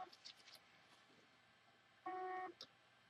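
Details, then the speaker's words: Hard drive powered and connected to USB gives one short electronic beep among faint handling clicks, with no spin-up hum. It still fails after a PCB swap from a new replacement drive. The owner suspects an internal motor failure or an incompatible PCB, unconfirmed. "and now we're going to connect the drive to USB and the drive still making that same beeping noise"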